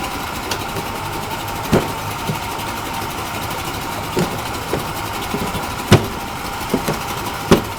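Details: Yamaha 40 hp two-stroke outboard in a test tank, after a carburetor cleaning, with a damaged prop that was straightened. Even idle buzz with scattered clunks when shifting in and out of gear; fairly smooth, including reverse. Normal idle in gear.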